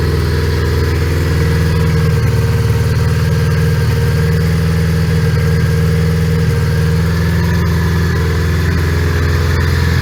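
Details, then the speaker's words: 1980 Honda Goldwing GL1100 flat-four, carbs overhauled and likely out of sync, started cold around 3°C: steady deep idle with a slight unevenness in the beat; rough cold idle before warm-up. "Okay, we let it warm up a little bit because it doesn't like to idle even."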